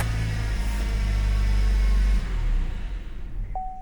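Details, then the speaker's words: Vauxhall/Opel Astra K (2015–2021) with bladed key not programmed: engine starts, runs briefly, then cuts out abruptly, followed by a single steady tone; theft deterrent system immobiliser kills it because the key is unprogrammed. "And if we see on the centre of the dash, wait a second, it should say, not about the fuel level, but theft deterrent system. That's just saying that the key that's in there is not programmed."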